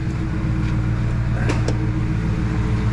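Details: Ford F-150 5.4 Triton V8 checked for a phantom knock, just after startup: even, deep rumble holding steady with no knocks, ticks or squeal; healthy idle.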